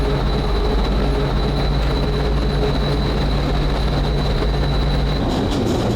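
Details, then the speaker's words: Small tank with chassis like the Hetzer but a slightly different petrol engine, after it was started: steady, even low hum of constant tone, no knocks, misses or rattles; running cleanly and normally. "Hey, um, that sounds really clean. >> It is. Yeah. Yeah. It's a good good good run of this one."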